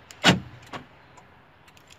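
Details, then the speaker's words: Right door central locking motor replaced with a new one after the earlier repaired aftermarket unit started making noise, temporary wiring test: quick clean clunk then lighter click, no grinding or buzzing; noise gone, normal. "Nice. We got rid of that disgusting noise. Great.. Yeah. It's great."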